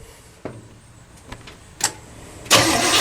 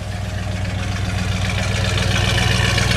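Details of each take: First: Pink big-block Chevy, after its carburetor was cleaned for running very lean at idle and bolted back on, no throttle linkage connected. The starter clicks, then cranks steadily about four beats a second without catching. It starts on a later try and sounds much better. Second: Big-block Chevy V8 after carburetor cleaning, no throttle linkage hooked up: steady even idle, smooth low rumble, no misses; previously ran poorly.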